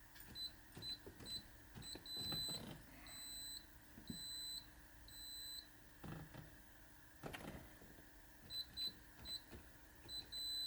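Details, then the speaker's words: Citroën XM 3.0 24V barn find, first start attempt in 20 years: short high keypad chirps, one per button press in uneven bursts, engine never fires. Owner's birthday, postal code and other guessed codes all failed, so the immobilizer rejects the code. "Unfortunately, none of them worked. I think I have been sitting inside of here for a lot of hours, just random pressing in numbers and trying."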